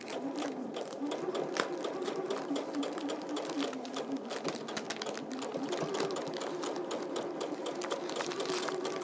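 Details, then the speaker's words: Sewing machine after re-threading, sewing a quilt row: quick, even stitching rhythm, no longer clunky, no catches; normal running. "that sounds much better doesn't it yeah that sounds no more clunky you can hear it when there's something wrong can't you yeah it's just like your car"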